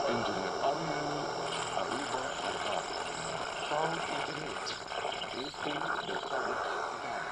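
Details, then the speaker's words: Boost DC-DC converter near AM radio: as input-output voltage gap grows switching speeds up, and constant hiss and buzzy static nearly bury the station; converter switching noise interferes with AM reception. "Okay, lumalabas na yung ingay. Lumalabas na yung ingay. Palayo ng palayo yung gap ng voltahe sa output tsaka sa input, mas bumibilis yung pagsiswitch niya. Pag mabilis yung pagsiswitch, mas lalo siyang umiingay."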